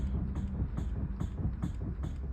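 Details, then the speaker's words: Mustang, steering worked back and forth after repair: dull clunk about every 0.4 seconds, though steering feels much better; something still loose, owner suspects a bolt needing replacement. "That noise is gonna drive me nuts, man. Might have to take that bolt out and get a better bolt."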